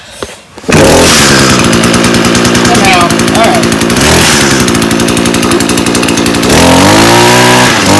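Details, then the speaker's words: Echo 2-stroke gas trimmer that lacked power at full throttle, after its clogged spark arrestor was cleaned and the muffler reassembled: a loud, crisp buzz that holds steady and picks up cleanly when throttled; normal running. "right nice she's done all right so hopefully that'll fix yours"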